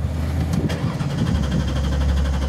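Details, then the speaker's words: 2000 Ford Taurus with electronic returnless fuel system, cranking no-start: steady rhythmic churn that never catches; fuel pump driver module grounds the circuit and the pump gets power and ground, yet there is no fuel pressure, indicating a failed in-tank pump. "our ground was was applied to this circuit and we still have no fuel pressure"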